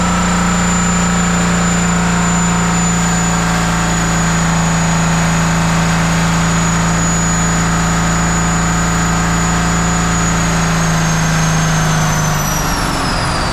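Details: 1977 Peterbilt 359 diesel started after sitting 20 years, after tightening lines and trying glow plugs: loud, constant high-rev roar with no throttle change that then winds down; a diesel runaway (overspeed).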